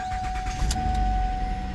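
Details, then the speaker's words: 2008 Lincoln with P1260 after dead battery was dealt with: engine fires and settles into an even run under a steady chime, no stumble or grinding; starts and runs normally. "Car starts and runs."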